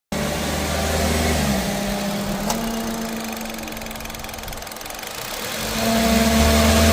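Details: Loud, steady low humming from a running car that fades briefly then swells back strongly; very loud, and the car was not fixed.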